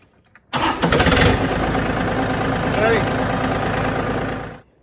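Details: John Deere 4300 diesel tractor with no-start and PTO light on, PTO sensor circuit bypassed with a jumper wire: cranks briefly, catches quickly and settles into a steady, even idle with no misses; starts normally.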